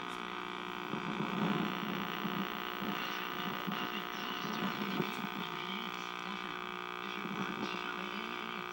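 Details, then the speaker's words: 1961 RCA KCS133 portable television at power-up: steady low hum with a faint throb and no program sound. Owner suspects the audio detector tube or circuit failed, possibly a tube with a mechanical fault; horizontal phase detector diode also soft. "the sounds like the audio detector tube or something the audio detector circuit crapped out"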